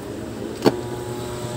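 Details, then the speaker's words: Sakura AV-325 amplifier with added Bluetooth, returned by customer: steady low hum from the speaker with one sharp pop, caused by 23 V DC on both speaker outputs. "Umuugong lang daw yung speaker. So chinck ko merong DC out na 23. Sa kabila 23 din. Kaya pag kinabit mo yung speaker diyan mga boss, malakas yung ugong."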